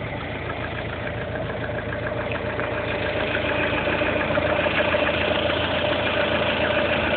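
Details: Lada Kalina 1.4 16-valve engine at idle: steady idle with regular light tapping about three per second over the engine note; internal engine knock, cause unknown.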